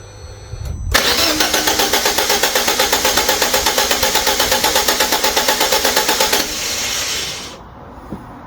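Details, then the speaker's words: Fiat 500 after head gasket change and specialist-repaired cylinder head refitted, cranked with ignition disconnected to build oil pressure; even starter cranking about three beats a second, never catching; normal crank, no start. "It's It won't stop because I've disconnected it to stop it from starting."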